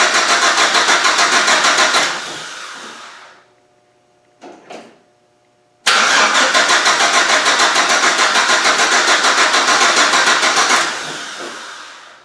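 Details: GM Vortec engine project, start attempt with fuel leaking at top of tank and no fuel reaching the engine: two spells of steady starter cranking at about three turns a second, never catches; owner suspects fuse or pump power, unconfirmed.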